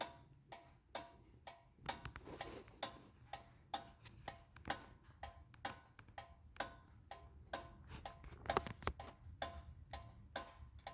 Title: 2012 Honda Accord EX-L Rear Brake Noise When Car is Off